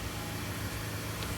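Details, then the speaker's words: 2013 Mazda 3 Skyactiv petrol engine just after fitting an oil sandwich plate, pressure/temperature sensors and oil filter: steady, even low rumble with no knocks or ticks; normal idle, oil pressure reading present. "So start it up and see if we get pressure readings. So we got oil pressure."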